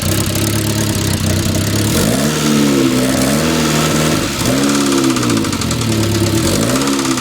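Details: 1997 Saab 9000 Aero petrol engine revving with a fast light top-end ticking, cause unknown, getting worse, over a loud rough exhaust from a bad exhaust system.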